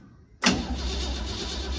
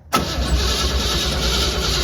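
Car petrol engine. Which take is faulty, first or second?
second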